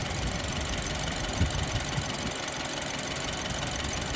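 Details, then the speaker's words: BMW F30 328i rough idle during plug-disconnect cylinder test: unplugging each of cylinders one to four makes it run worse, so all fire; uneven knocking shake about three per second, previously much worse, oil smoke seen from exhaust; rough misfiring idle. "one it's gonna run worse plug it back in too it's gonna run worse we'll plug it back in three worse four four so what does that mean that means they're all good yeah bro before it was really bad"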